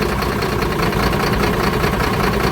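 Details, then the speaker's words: Mercedes truck diesel at idle during a scan-tool cylinder cut-out test, cylinder six being cut; heavy, uneven shaking beat with no smooth rhythm, really rough. Cylinders four and six are not working; misfire from dead cylinders, fault code on cylinder 4. "That's That's really rough because there's actually two cylinders not working, which is number four and number six."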